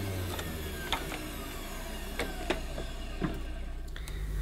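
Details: Hoover Futura S3563 canister vacuum, power head running: steady low motor hum with the brush turning evenly and only a few light ticks. The belt drives the head fine, though a new belt might help. The headlamp doesn't work, and a smell followed.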